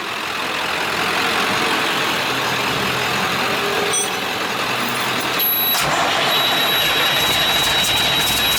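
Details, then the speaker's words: International 7100 with DT466 diesel, first start after in-frame overhaul (fresh head, liners, pistons, bearings, radiator), after bleeding injector lines and replacing a hose: engine settles into a steady, even idle with no knocks, misses or rattles. Healthy; first start called a success. "get back here where you can hear i'd call that a success"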